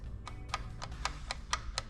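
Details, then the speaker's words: Yamaha 15hp outboard cutaway gear case, shaft turned by hand: crisp light clicks about four a second from slight play between dog clutch and gear openings as it engages and disengages; normal. "Now you can hear it click because there's a tiny bit of space between the clutch. You see this opening here and here? There's an opening like that on the gear as well, and that's what we're moving in and out of. So we're engaging and disengaging."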